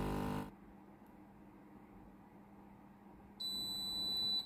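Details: Philips GC9622 steam iron after repair with a replacement board and fuse, when plugged in and switched on: a short clunk (the owner says the water valve is heard), a quiet pause, then one clear, high, second-long ready beep.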